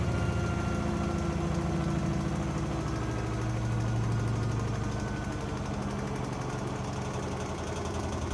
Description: Blomberg Washer making loud noise when spinning.